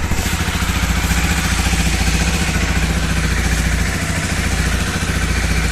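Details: Honda CBR250R single-cylinder after camchain tensioner replacement: steady, even idle thump around three to four beats a second with no ticking on top; the tick is fixed, healthy idle.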